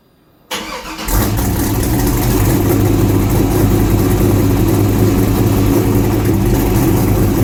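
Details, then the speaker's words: Project car fire-up after new exhaust, fuel lines and tank install: cranks, catches and settles into a deep, mellow burble with no ticks or rattles; healthy engine and exhaust tone. "what sounds pretty good I'm pretty happy with tone kind of mellow till you get on it and it's got that kick"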